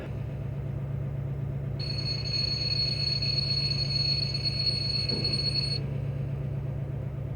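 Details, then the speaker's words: EMD SD70ACe locomotive failing to auto-start on air start, with battery saver on. There is a low steady rumble turning over and a high hissing whistle, but it never fires. No fuel pump is heard running, so the electric fuel pump is suspected; no breakers were tripped. "Maybe? I don't hear the fuel pump running."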